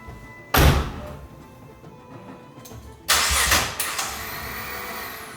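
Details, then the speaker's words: Crash-damaged Nissan GT-R after fixing an electrical no-power fault, off-the-shelf tune and very large injectors: fires after short crank, runs unevenly a couple of seconds then dies; tune/injectors suspected, unconfirmed; stalls after starting. "Okay. And that was after one attempted start. It wasn't a good one. Died pretty quickly."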